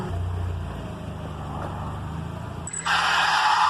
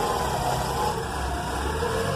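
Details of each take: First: 1992 Mazda Miata engine idles low, then a loud, harsh high screech breaks in; belt squeal traced to a loose accessory belt, later repaired. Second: 1992 Mazda Miata engine idling smooth and steady after a loose belt causing squealing was repaired; no belt squeal.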